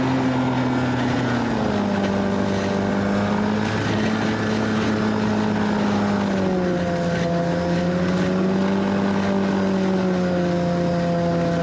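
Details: 1991 Arctic Cat Prowler 440 two-stroke snowmobile after revival: carbs checked, fresh fuel, throttle safety switch bypassed, earlier one-coil miss resolved. Steady, buzzy pitch easing up and down with throttle, some wind, no stumbling. Flawless after about an hour's riding.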